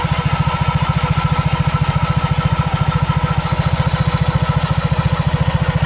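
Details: Honda PCX scooter with Yamaha Aerox pulley, after 6000 km, idling after CVT wash to dry open CVT: even low putter about three and a half beats a second, no knocks or rattles; healthy idle.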